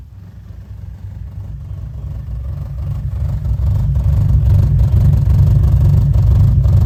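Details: Toyota AE86 with ITBs and polished cat-back exhaust, first run in a decade: deep, even engine note building steadily with revs, no knocks or misses; running cleanly.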